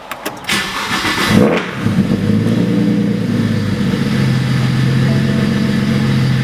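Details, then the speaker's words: 2008 BMW 135i, single-turbo 752 whp build, running badly since a clutch replacement, with throttle valve potentiometer codes. It starts, flares, then idles unevenly, hunting and sagging as if about to stall. Owner suspects the throttle body. Rough idle. "I think it's the throttle body so it doesn't run right it kind of hesitates I guess it won't stay idling right"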